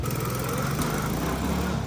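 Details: Chinese Tao Tao ATV after cylinder head fix: steady buzzy small engine holding even speed with no knocking or misses, running fine.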